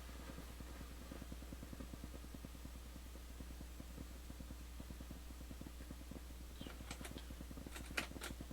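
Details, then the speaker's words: Returned Crown CSC-850F amplifier/cassette radio at full volume in tape mode: quiet hum with fast, even crackling ticks where only hiss should be heard; owner suspects a dirty recording-bar switch needing cleaning, unconfirmed. "so there's a noise. That's full blast with it in tape mode. So there's a noise. I don't know what it is. Probably coming from the recording bar switch, needs to be cleaned again."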